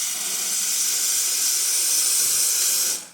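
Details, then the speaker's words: Profitec espresso machine after service and deep cleaning, hot water outlet test: steady, even hiss of hot water and steam with no sputter, then a clean cutoff; dispensing normally. "That works perfect too."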